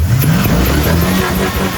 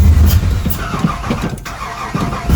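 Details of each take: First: Chevy square body truck with V8, no tailpipes, first start after sitting for years following fuel and electrical work and VATS delete: strong cold revs blipping up from idle and settling back cleanly, no misses, knocks or rattles; normal cold revving. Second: Chevy square-body V8 truck on its first start after sitting for years: it fires, runs roughly, dies and catches again. The stalling is caused by the VATS anti-theft security still active in the computer.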